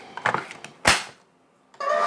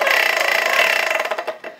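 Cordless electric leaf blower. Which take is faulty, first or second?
second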